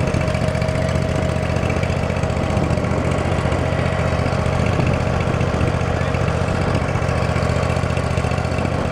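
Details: Field-find riding lawn mower, just revived and tested drawing fuel from its own tank: small single-cylinder engine holds a steady, even putter with no surging or misses; healthy.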